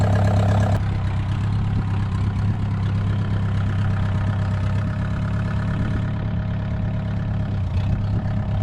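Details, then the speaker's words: VW 1.9 mechanical SDI diesel in a homemade mini loader, first start after build, not fully cold (stored in garage), battery borrowed from UTV: starter cuts into a steady low idle, even rumble, no knocking or misses; normal healthy idle. "First start, it's not really cold. It was in the garage. Let's see."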